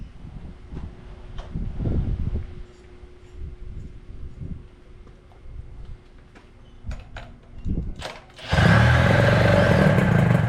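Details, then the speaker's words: 1983 Evinrude two-stroke outboard after power unit work, started with starting fluid and primed bulb: some knocking about, then fires and holds steady, even buzz without misses or stumbles; normal running. "Listen to that baby purr."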